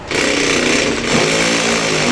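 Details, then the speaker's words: Ryobi combi drill on hammer action, speed 2, highest torque setting 24, drilling an old concrete paving slab: steady harsh buzzing rattle as the bit goes about 25 mm in with no problem; normal hammer drilling. "that's gone in about 25 millimeters with absolutely no problem at all so the hammer action has driven that through and that's on the highest torque setting number 24 on this particular drill"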